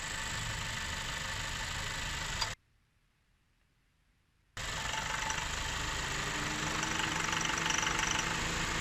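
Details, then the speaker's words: 2017 Honda Accord petrol engine recently began pinging/knocking at idle in drive with foot on brake when the AC compressor kicks in; light rapid tapping about four a second; owner rules out compressor. "the engine of this car recently started pinging or knocking when the car is in drive with my foot on the brakes and the ac compressor kicks in"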